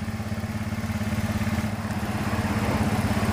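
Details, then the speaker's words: Carbureted Honda Beat scooter that died when the battery was disconnected; after reconnecting the broken white charging wire from the stator to the regulator it starts, with an even, steady low putter at idle, no knocks or misses: normal idle. "Oke Ayo Mas kita hidupkan enak ya hidupnya guys"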